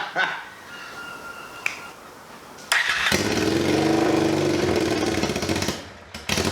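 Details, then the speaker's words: Budget scrambler motorcycle build, microphone about one meter away, started with no exhaust baffling at all: after a quiet start, a harsh, crackling bark climbs and falls with the throttle; baffle wadding was to be added afterward to reduce the noise. "we're now going to start it without any exhaust baffling whatsoever"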